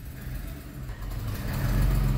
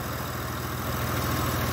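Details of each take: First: Honda truck with code P0108 (MAP sensor circuit high): steady, low, slightly lumpy exhaust drone at the muffler, which is left sooty black with some visible smoke; running rich, code points to the MAP sensor. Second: Honda truck with code P0108 (MAP sensor), which had been leaving black soot at the muffler: after the sensor was refitted and codes cleared, the engine starts and holds a smooth, steady, normal idle with no stumbles.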